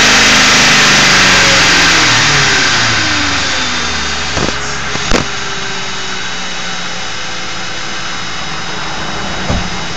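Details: Ford 4.6 V8 with Prime Guard oil filter: raspy buzz riding on the engine, shifting pitch as revs drop to idle; failed anti-drainback valve suspected, but a replacement filter produced the same noise.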